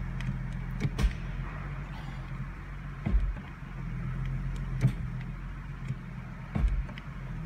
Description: 2015 mustang transmission clunks and shakes the car when selecting reverse from park.